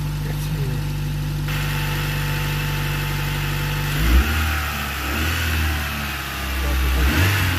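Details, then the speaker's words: Wrecked Honda car after new fuel pump and relay (fuel pressure now 50 psi), sheared-off exhaust: steady idle then clean revving blips, loud open exhaust; runs strongly, normal revving. "oh it's good to hear this thing running again it's got a sweared off exhaust runs really good"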